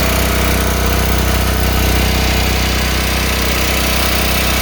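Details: 1970 Kohler Model 3MM25 electric plant, Kohler K-181 8 hp engine converted to propane, failed magneto replaced by battery-powered Kohler coil: steady single-cylinder thump about three beats a second, smooth under governor; normal running.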